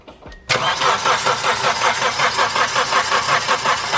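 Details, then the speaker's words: Second-generation Mitsubishi Eclipse cranked over with the valve cover off; heavy, rhythmic knock on every turn with harsh clatter over the starter, while the valve train looks fine; rod knock. "there's nothing that looks particularly wrong with the valve train but something sounds very very bad"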